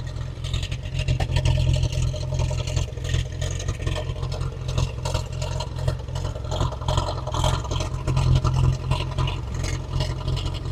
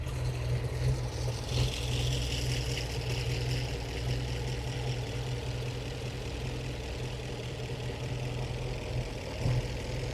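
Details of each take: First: 1915 Scripps-Booth Vitesse V8 race car, about 100 miles on the rebuilt engine, just crank-started before tuning the Zenith updraft carb: a deep, lumpy, loping idle that never settles, with black smoke; very rich idle mixture. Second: 1915 Scripps-Booth Vitesse overhead-valve V8, about 100 miles on the rebuilt engine, after tuning the Zenith carb idle mixture with a CO meter: a slow, even, lower idle with a light tick from the external pushrods, smooth and refined; normal idle.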